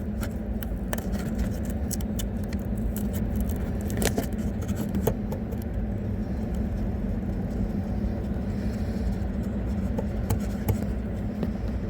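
Quiet road hum with scattered light ticks and jangling bursts at uneven intervals while driving; a loose trim rattle in the dash.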